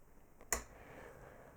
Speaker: Yeah, everything this counter timer circuit here does is, you can hear it, it has a relay inside. Maybe you can hear it. And it simply switches the output here on and off.